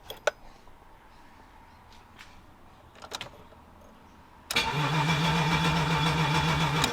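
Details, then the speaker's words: BMW E30 323i Baur, first start attempt after sitting 10 years: faint clicks, then the starter cranks steadily at about 3.5 turns/s with no firing; fuel gauge reads near empty, so crank no start with no fuel delivery. "Doesn't sound like anything's happening. I just noticed it's showing pretty much next to no fuel on the fuel gauge, so I might just put some in and see what happens."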